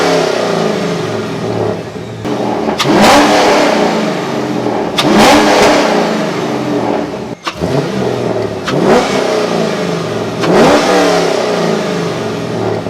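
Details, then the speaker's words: C5 Corvette V8 after a Callaway Honker intake install, warmed at minimum 176° for 5 minutes then restarted; four crisp throttle blips climb quickly and fall back to steady idle without misfire, with strong intake roar, healthy engine. "For now, let's hear what this thing sounds like in comparison to the whatever intake I had in before it."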